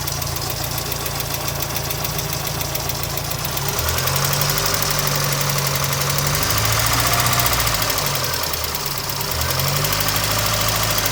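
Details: 1992 Miata engine on its first start since a cracked radiator and a suspected blown head gasket; no water in the oil and oil pressure seems fine. A light, even ticking of about four per second rides over the idle; owner unsure whether lifter tick or rod knock.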